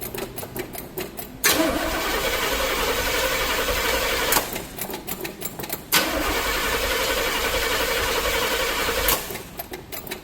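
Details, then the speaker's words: Impala engine cranking at first start attempt outside the shop: two long spells of starter cranking with no firing or catch, no start because the power wire was pulled off the distributor; it runs once reconnected, timing slightly off. "Yes, I did. I pulled the power wire out of the distributor cuz I was doing something."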